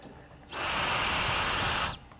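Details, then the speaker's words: Turbo car boost leak test with the system under air pressure: a sharp, steady high hiss of escaping air that cuts off cleanly, from an intercooler end tank cracked along the weld. Major boost leak. "can hear it wow that's major there's the hole no intercooler"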